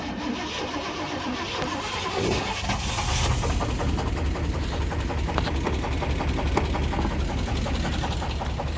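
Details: Small block V8 restarted after cooling down: fast, heavy rhythmic knock about two or three per second over idle; rod bearing 1 later found nearly gone and spinning, rod bearing 2 worn out.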